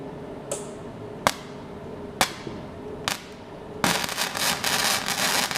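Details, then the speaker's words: MAGMATE 150 inverter MIG welder running flux core, turned down to about 54 amps after 60-62 was too much: sharp strikes, then steady dense frying crackle with popping spatter, running a bit hot. "you really tell it's an inverter welder when you listen to it just a way it goes crank and FES up"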